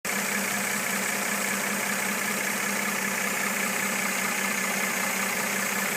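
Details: 2013 Mercedes E350 W, described as new, at steady idle: a faint, fairly regular tapping of about two to three per second rides over the hum; engine knock at idle, cause not yet determined.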